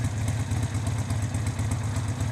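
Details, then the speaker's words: Harley-Davidson V-twin, warm after a freeway ride, idle set with a newly fitted manual idle control knob: a deep, lumpy, loping low idle, steady with no clatter. It sounds better and is a healthy idle speed. "Now see, doesn't that idle sound much better?"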